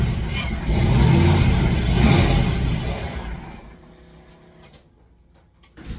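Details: Fox Body Mustang that has sat a long time, weak battery on charger, a gallon of fresh fuel and starting spray added: the starter churns the engine steadily for about three seconds but it never catches. Crank, no start.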